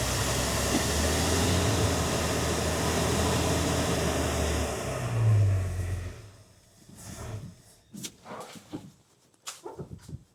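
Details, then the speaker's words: Rebuilt Ford 300 inline six in an '84 F150 with a fresh carb, first start after the rebuild: engine catches and holds a steady low rumble for several seconds before dropping away. "Okay. Okay, so she fired. So now I'm going to turn up Turn this up pretty good."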